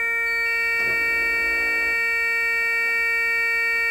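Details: Constant high-pitched dashboard warning buzzer starts with the ignition and holds steady on a bus that wouldn't start; a missing control unit was replaced with a stored used one, apparently not programmed for this bus.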